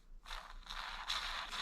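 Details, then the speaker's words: Brushless RC motor bearing spun by hand during cleaning: gritty, scratchy whir in short bursts, only slightly improved after oiling; bearing is worn out, rough bearing. "listen to this bearing this bearing sounds terrible listen to it one more time up close and personal"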